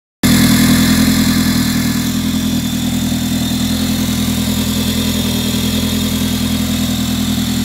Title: A3 cold start crazy screeching noise from engine